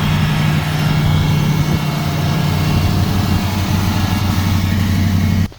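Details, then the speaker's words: 1990 Chevrolet Caprice daily driver before power steering hose and vacuum line repairs: steady smooth low rumble, even beat, no knocks, ticks or misses; motor runs really good, normal idle. "So let y'all check it out and hear it. Motor runs really good."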